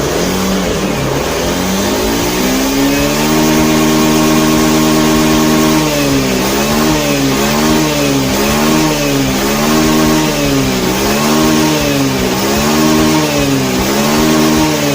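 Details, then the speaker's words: Honda Beat FI scooter after resetting the ECU: starts, settles to a steady idle, revs rise and fall cleanly with no stumble or bog; repaired, running normally. "Oke aman ya enggak ada kendala Oke jadi permasalahannya di motor Beat ini ada di bagian sensor TPS ya teman-teman ya"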